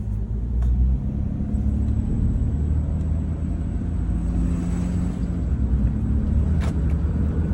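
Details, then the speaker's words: 2004 Jeep Grand Cherokee after replacing slipping/worn transfer case drive chain that caused clacking, warmed up, test drive under light throttle: steady low road rumble, no clanks or knocks; normal drive. "Okay. Okay, I don't hear any clanking, but I didn't really step on the gas."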